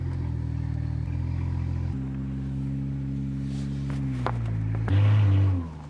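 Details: BMW 335i E92 N54 with rebuilt engine after fire damage; earlier misfire and uneven running caused by unplugged vacuum line to exhaust manifold flap, now reconnected; smooth steady idle then clean throttle blip, even firing; normal idle.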